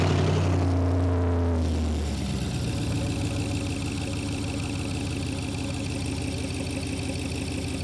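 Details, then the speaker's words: BMW 7 Series N63 V8 after fitting downpipes with the catalytic converters removed: a blip settling into a deep, steady, even burble with no ticking or puffing, so no exhaust leaks. Loud because the lower pipe is not yet connected. "არაფერს არ ეპარება, ყველაფერი კარგად არი. რა მაგარი ხლა კარგი ხმა აქ"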